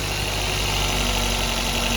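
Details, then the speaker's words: Maruti Suzuki Baleno, cold start in winter, no rpm meter: raised, steady fast idle with an even hum and light high whir, no throttle applied, rpm settling gradually as it warms; normal cold-start fast idle. "अभी RPM देखो कितने high हो रहे हैं। अब ये धीरे-धीरे जैसे स्टार्ट हो गया ना धीरे-धीरे नॉर्मल होते चले जाएंगे।"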